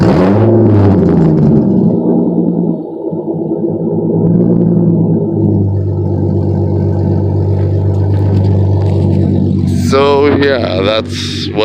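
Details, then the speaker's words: Acura Legend, mechanically properly tuned, revved for a few seconds: the engine revs up cleanly and drops back to a steady, smooth idle with no knocks or rattles. Normal engine revving. "what an Acura Legend sounds like when it's properly tuned, mechanical wise."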